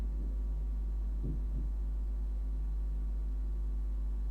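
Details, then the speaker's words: Inverter under fault diagnosis on a 12 V bench supply at max current: steady low hum with faint ticks as it tries to start, then falls back without drawing current. "yes you can hear ticking noise okay and then when i'm maxing it out nothing"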